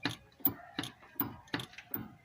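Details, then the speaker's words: Volkswagen with suspension knocking: sharp metallic clacks, two or three a second, as the brake caliper knocks back and forth in worn guide bushings with excessive play; the bushings need replacing. "Mas vocês vão ver aí o barulho que faz ó a pinça de freio ó ó a f tá com a folga ó entendeu galera essa aqui ó tem que trocar os embuchamentos dela tá com uma folga tremenda"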